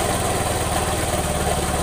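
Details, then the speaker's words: Suzuki Nex II scooter at idle: coarse, rapid rattling knock from the middle of the engine, not the CVT, which still knocks with the roller housing removed; bike likely once ran out of oil. "suaranya itu kasar sekali di bagian mesin tetapi ini bukan CVT ini suara timbul dari mesin bagian tengah"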